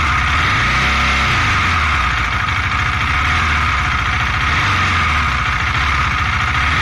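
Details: 2018 KTM Duke 390, 8,500 km: faint fast metallic tick over exhaust note, noticed for four months, clearer on deceleration; cause unknown.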